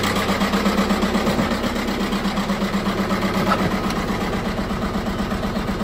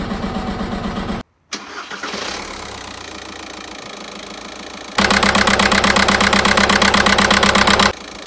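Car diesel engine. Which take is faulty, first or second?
first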